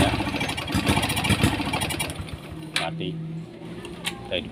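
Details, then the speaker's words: Honda Supra X 125 carbureted motorcycle, hard to start, ignition and fuel line checked normal: it starts, but on throttle it stumbles and sputters unevenly, loses power and nearly dies, caused by the carburetor main jet detached from its seat. "motor ini bisa dinyalakan, tetapi ketika gas diinjak, motor tersendat, kehilangan tenaga, dan hampir mati, teman-teman."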